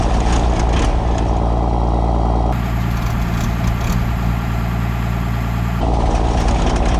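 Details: 1975 Dodge D600 diesel truck, cold start in the morning after sitting overnight on its battery: deep steady diesel clatter settling into an even idle, no misses or knocks; healthy engine.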